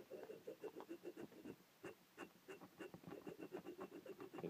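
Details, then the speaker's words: Dnepr motorcycle gearbox input-shaft bearing rocked by hand after oiling to rule out rust, giving gritty, scratchy rattling in short bursts; roughness can be felt, so the bearing is rough and worn. "good i can hear that noise i shot some oil into it to see whether it was just a little bit of rust build up but just actually moving it back and forth i can feel it in there"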